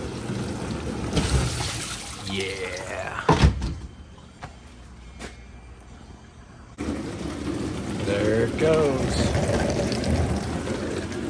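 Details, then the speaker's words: 6-7 month old Whirlpool WDP540HAMZ4 dishwasher after replacing the bad wash pump motor (it filled but would not wash): steady sloshing and spraying over a smooth pump hum, no grinding or buzzing; washing normally. "washing like a champ"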